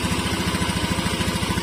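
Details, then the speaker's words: Scooter just after an oil change from worn old oil: even, quick putter at idle, about eleven beats a second, no ticks or knocks; healthy engine, smooth. "ini suara mesinnya Enggak beda jauh sama-sama masih mulus ya karena Emang motornya sehat kok"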